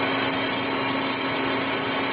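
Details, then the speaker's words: Volvo axle machining with a new insert, slower speed and a deeper cut to get under a surface hard spot: steady high ringing hiss, no periodic chick-chick chirp as before; cutting cleanly below the hard spot. "I think we did cuz I never even heard it this time before I'd always hear chick chick chick as I was going past that spot"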